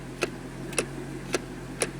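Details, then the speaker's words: 2005 Corvette C6 automatic, shifter wouldn't leave park, after repair, engine running: four crisp clicks about half a second apart as brake is pressed; shift interlock solenoid in shifter releasing normally. "so when it clicks there's a solenoid in the shifter assembly and that releases the shifter like most Vehicles"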